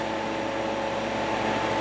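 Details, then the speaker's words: Portable dog fan from 2013, reassembled after motor was cleaned and lubed with WD40 to fix a racket: smooth steady hum, soft even whir, no rattle or scraping; motor now quieter and healthy. "Fan is all put back together. now has a quieter motor. Finally, that WD40 helped."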